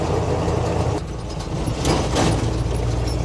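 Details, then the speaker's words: 1970 Chevrolet K10 4x4, abandoned 26 years, driving in fourth gear: deep rough growl under load over road rumble. Gearbox growls only in fourth, not third. "I don't hear that noise maybe it's only fourth gear oh yeah there it is it's just fourth so only run it in third you'll be fine"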